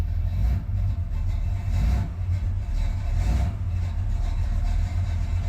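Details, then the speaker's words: 1981 Corvette on jack stands in neutral after a speedometer cable and cruise control unit swap: deep slow chugging with a slightly uneven pulse and small loudness dips, idling low at about 500 rpm. "Well, now she's chugging along at 500."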